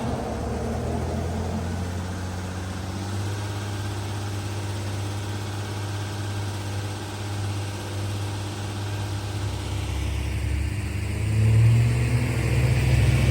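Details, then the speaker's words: Jeep Cherokee after repairing hidden shorted wiring that had caused a bad misfire and stalling: a smooth, steady idle with no misfire and exhaust pulsing normally. Residual white smoke is probably from flooded fuel burning off. "So we know that's pulsing like normal. And it sounds like it too. Oh yeah. I mean, It's not misfiring."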